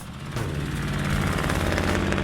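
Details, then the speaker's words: Weak-running V8 in a 1978 Camaro idling, with a rough, rapid puffing tick over the rumble from an exhaust header leak; repair planned before an engine swap. "no it doesn't look like much and it sounds worse we're already planning an engine swap for this car but in the meantime a repair for that exhaust leak is definitely in order"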